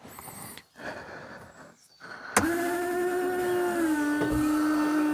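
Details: 1999 Daewoo Matiz with a newly replaced washer pump. A steady electric hum switches on, dips slightly in pitch as it settles, then holds evenly. The washer pump is running normally.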